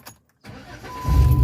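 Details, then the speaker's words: 2011 Jeep Wrangler JK after clutch replacement, fixing a part scraping a sensor that prevented starting: quick crank, engine catches instantly and settles into steady low idle; normal start. "Look at that. Sounds like my old Jeep, fires right up."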